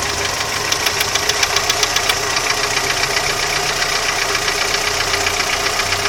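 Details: Audi 80 engine knock: sharp ticking knocks, about three to four a second, tap over the running engine, and the cause is unknown.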